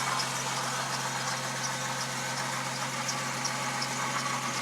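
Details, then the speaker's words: Jeep TJ, 63,000 miles, warming up at idle: steady idle with faint intermittent high chirps; serpentine belt squeaking lightly, belt replacement planned. "The next thing I'll probably wind up doing is the belt. As you can hear, it's squeaking a little bit."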